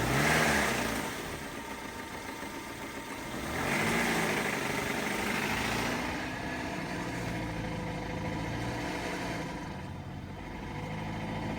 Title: BMW E92 LCI 318i Motorgeräusch gelängte Steuerkette